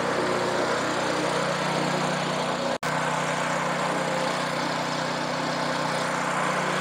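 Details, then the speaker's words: Free roadside rototiller, previous owner said it ran a minute or two then died; now started on full choke with fuel: small single-cylinder engine holds a steady, even drone, one brief dropout, no misses or surging; runs fine. "Ceart go leor is cosúil go bhfuil an fhuaim go maith aici, ligfimid di suí ar feadh cúpla nóiméad"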